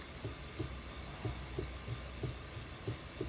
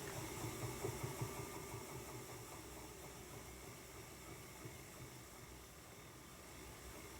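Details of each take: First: Ashford E-Spinner 3 spinning wheel motor hum with a soft, low rhythmic whomp about three times a second: bobbin knocking from a gap between bobbin and motor housing, fixed by adding a felt washer to fill the gap. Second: Ashford E-Spinner 3 electric spinning wheel after fix (felt washer filling bobbin gap, waxed cotton thread): steady even motor hum, no bobbin knocking or whomp.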